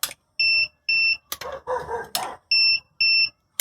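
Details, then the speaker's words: Grand DA21 Pro cordless trimmer with charged battery: two pairs of short high beeps with clicks, no motor sound, motor fails to start; fixed by cleaning grass from the stator and insulating damaged wires. "Як бачимо, двигун не стартує і коса видає писк."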